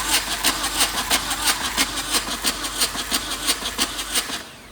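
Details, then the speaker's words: Suzuki Samurai with a swapped-in VW diesel that won't start: quick, steady cranking that never catches, one stroke sounding light and hollow as if missing a spark plug; one injector was found unthreaded from the head, losing compression. "Sounded like it doesn't have a spark plug in it, you know what I mean?"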